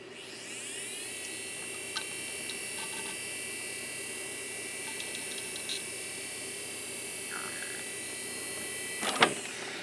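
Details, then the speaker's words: Seagate U5 Series 10GB IDE drive from eBay, power-cycle recheck: smooth rising whine settling to a steady high tone, a few light seek ticks, then spin-down; the drive sounds healthy. "Okay. Spun up pretty quick. Did a seek test."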